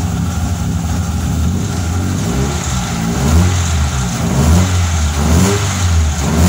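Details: Fiat Tempra 2.0 16V, cold, just started, revved: rough uneven low rumble swelling with throttle and a very loud exhaust. Owner wonders about rod bearing, piston or an accessory bearing; cause unknown.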